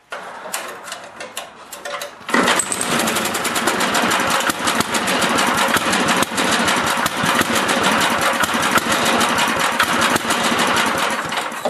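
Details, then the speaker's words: Older 8HP Briggs & Stratton snowblower engine after carburetor cleaning: rapid, lumpy, slightly uneven beat, running a bit rich; fix is turning the mixture screw clockwise, starting with half a turn, to lean it. "now it sounds like it's running a bit Rich what I'm going to do to correct that I'm going to screw that screw in clockwise to run it leaner"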